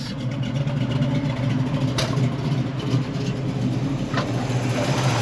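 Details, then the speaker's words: 1968 Camaro V8, engine and transmission under 10K miles, 44,135 miles on the odometer, not fully cold (moved about 20 minutes earlier); deep even rumble through a light rev, no knocks or misses, smooth and healthy. "nice and smooth the engine sounds"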